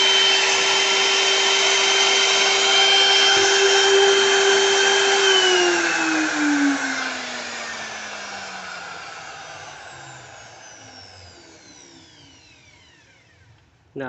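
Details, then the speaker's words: New BULL BL2601 wood router (930 W, rated 23,000 rpm, 3.6 kg), vibrating strongly while running: steady high-pitched whine that falls smoothly as the motor coasts down. Working well; normal for a new unit. "berfungsi dengan baik, dan suara mesinnya bagus untuk unit yang dibeli di toko."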